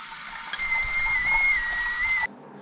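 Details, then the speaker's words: Toilet tank refilling after a flush: rushing water with a steady high whistle, wavering slightly in pitch, stopping abruptly as the fill cuts off; from the tank filler valve or the supply shutoff valve, fix by replacing the faulty valve. "this case you need to figure out if the sound coming from the filler valve inside the toilet tank or the valve on the supply line and then you need to replace either the shutoff valve or the toilet filler valve."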